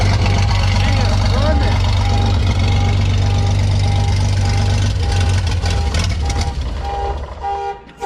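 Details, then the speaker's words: Vintage Scoopmobile LD5P articulating loader (thought late 1940s–early 1950s), first start in 20-something years after a small fuel squirt; loud, steady low rumble with even firing pulses near four a second through a short open pipe, running on its own. "Oh, it's so loud it set my alarm off."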